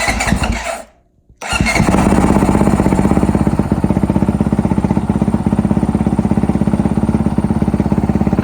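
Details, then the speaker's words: Honda 450L single after exhaust upgrade, JD Jetting tuner and open-top airbox mod: catches right away after a brief crank and settles into a steady, even thump with no stumble; healthy start. "I can tell you, one thing I've noticed off the bat, there's no stumbling when it starts. It immediately starts, you know, off the bat."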